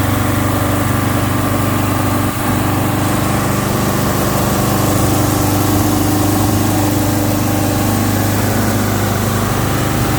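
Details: 1971 Alfa Romeo 1750 GTV with manual transmission, engine cold: a steady, fairly fast idle with an even low hum and no misses; it runs high while cold, dropped after a while, and may need adjusting.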